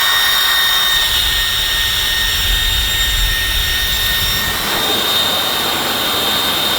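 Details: Dyson Supersonic hair dryer running with a loud airy rush and a piercing steady whine, a loud-noise fault being investigated.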